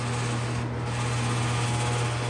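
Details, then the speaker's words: Box fan on high speed: steady low hum with fine buzzing vibration rattle; owner suspects loose grille (washers on grille bolts may help) or a blade balance issue. "What I remember about this one is it's it's a noisy bugger, and I haven't gone through it to see to see if it's the grill. Sometimes these grills, you can improve that vibration sound if you put um washers on the bolts on the grill. But this one could just be a balance issue."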